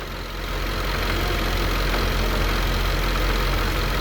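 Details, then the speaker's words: 2015 Jaguar F-Type supercharged engine, 72k miles, after hydrolock repair, no faults: smooth, even low idle with steady rumble, no stumbles, skipped beats or expected misfire; engine running cleanly. "lovely lovely I was expecting to have Miss fire to be honest"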